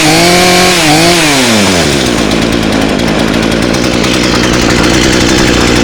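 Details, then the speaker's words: Two-stroke chainsaw with no-spark fault suspected at corroded magneto connector; revs drop from a high scream to a steady, even rattling idle with no misfire or cutting out; running properly. "I need to clean that all up, put a new connector on there, and I think my saw's fixed."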